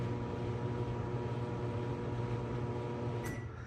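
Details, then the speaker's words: 2001 GE Spacemaker XL1400 microwave: loud, coarse, buzzy hum that stops abruptly, with a burnt smell. Magnetron shorted (17 ohms filament to case) and took the HV diode with it, so no heating; shorted magnetron. "It went ba-gee, like a really loud hum, and it smelled burnt right away. That was it."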